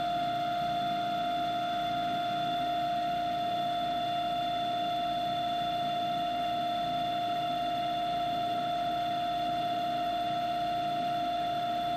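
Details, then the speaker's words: Clausing 5914 lathe turning brass at about 1300 rpm, 5-thousandths cut: steady high ringing tone over the spindle hum, light tool chatter; owner suspects tool geometry or tool height. "I mean it's not the surface is bad there's a little bit of chatter but I'm going to tribute that - probably mice my tool and my geometry of my tool"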